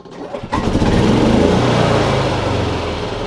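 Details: Yamaha G29 golf cart after replacing the faulty foot-pedal stop switch that caused no-start and stalling: engine cranks briefly, catches at once and runs steadily; normal start.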